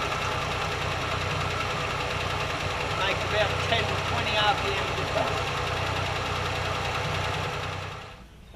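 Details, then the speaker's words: Warm Holden six at idle, cylinder-drop test: pulling one plug lead barely changes speed, so that cylinder is weak; bottom-end fault suspected (holed or split piston, broken rings), not confirmed without compression test. "diagnoses 90% complete uh without a compression test uh I don't know exactly what the problem is with the bottom end could be a hole in the Piston could be uh broken Rings"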